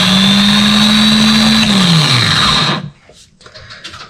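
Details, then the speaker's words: Toyota 2.7 kW starter motor from a 2005 Toyota Prado 2.7 L gasoline, bench-tested on battery cables through terminal 50; strong steady high whir that winds down smoothly with no grinding; normal starter motor operation. "este punto podemos comprobar que el funcionamiento de nuestro motor de arranque es el correcto"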